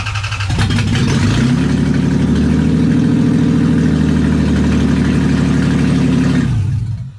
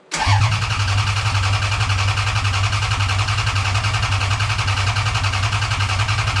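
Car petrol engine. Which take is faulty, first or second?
second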